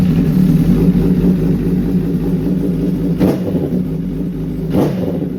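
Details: 2011 Honda CBR1000RR Fireblade (999cc inline-4 DOHC, liquid-cooled) with stutter, sluggishness and power loss; sludge-like dirt was found. Reassembled with the tank just refitted and coolant not yet filled: steady, even idle with light blips, no misses, timing good, much better than the first test.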